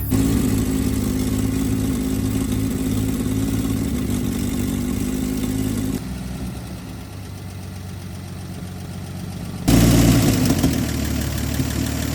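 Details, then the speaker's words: 1954 Chevrolet four-door, first start attempt getting fuel up to the carburetor. Uneven, lumpy idle with a loping beat that dips and then picks up again. Engine running rough, cause not yet known. "Listen to that. Uhoh. We need a little bit of work on it."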